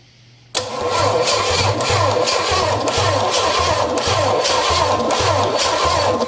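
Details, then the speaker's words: Engine with a swapped-on Quadrajet carburetor cranking, getting warm and smoking, seemingly getting too much fuel: starter churns about four beats a second with ragged firing attempts that never catch. "I mean it's trying but I don't want to burn everything else up"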